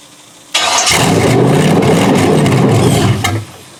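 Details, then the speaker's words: Junkyard 6.0L Chevrolet engine from a 2002 Chevy truck, pulled from a mud hole, first start on a temporary test harness: catches quickly, runs rough and uneven about three seconds, then dies abruptly. Stalls soon after starting; owner suspects fuel starvation. "Like it's running out of fuel for some reason."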